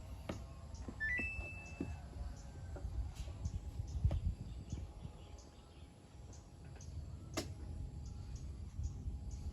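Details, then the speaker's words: Samsung inverter washing machine drum gives a few sharp knocks, jerks but can't turn to weigh the load, then stops and retries; powers on but won't wash, with water damage found underneath. "ปกติเก็จะหมุนถังเพื่อชั่งน้ำหนักผ้านะครับแต่อันนี้มันหมุนไม่ได้มันเป็นเสียงดังกึกๆนะก็จะประมาณนี้นะครับเสียงดังแล้วก็จะหยุดไปแล้วก็จะพยายามทำอีกทีก็จะเป็นอยู่อย่างนี้นะครับ"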